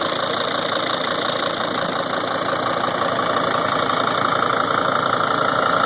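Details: 2003 Sprinter diesel idling with a busy, rattly clatter and a regular tick about three times a second; the knocking and ticking is louder than normal, cause unknown.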